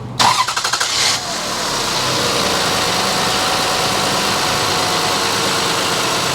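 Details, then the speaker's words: 2003 Toyota Highlander 1MZ-FE after replacing squealing drive belts (alternator pivot 43 ft-lb, adjuster lock bolt 13 ft-lb): engine cranks, catches and runs smooth with no squeal or chirp; normal drive belt operation. "And as you can hear, it's nice and quiet now. No more squeaking belts."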